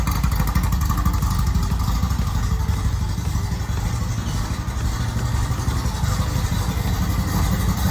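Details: Rally VW Beetle for circle-track racing, fresh 1776cc air-cooled flat-four with windage tray, run in neutral. Deep, even, throaty rumble, steady beat, no knocks, ticks or rattles: normal running.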